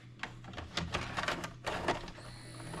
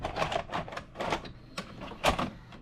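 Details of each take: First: Cheap late-model DVD/VCR combo from Goodwill with a burner tape inserted: the motor whirs with scattered clicks but never completes loading. The tape loading arm is jammed. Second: Cheap late-model DVD/VCR combo from Goodwill, after a fix: clicks and motor whirring as the cassette pulls in and the tape wraps the heads and plays. Normal load and play.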